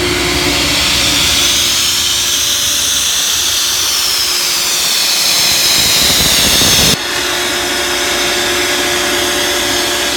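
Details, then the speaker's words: Ingersoll Rand SSR-EP30SE 30 hp rotary screw air compressor on 460 V three-phase, running to show it works: a loud, even airy roar over a steady hum with no knocking or rattles; normal running. "We have it hooked up to 460 volts, and we're going to turn it on here and show you that it works."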